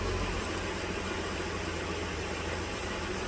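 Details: 2010 Dodge Journey 3.5 V6 after fuel injector replacement for misfire and P0206, codes and fuel trims reset: steady, even low rumble with no stumble, already in closed loop; smooth, healthy normal idle.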